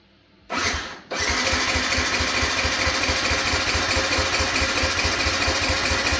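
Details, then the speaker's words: Abandoned Yamaha YZF-125R after a new ignition plug, on jumper leads, with the fuel pump heard priming: a brief whir, then steady fast cranking at about ninety beats a minute that never catches. The pump later tests fine; old fuel is suspected, not confirmed. "Okay, that's not working. Let's test this fuel pump."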